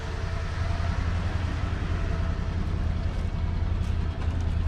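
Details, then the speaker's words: Ford 302 V8 truck, formerly seized, warm idle after intake manifold repair and full tune-up with new plugs, wires, cap and rotor, vacuum around 15 to 16: low even rumble with steady beat, no misses, knocks or hiss; normal idle. "there good bit of tuning I've got it around 15 to 16. vacuuming whatever thank you for lacking it's running pretty smooth"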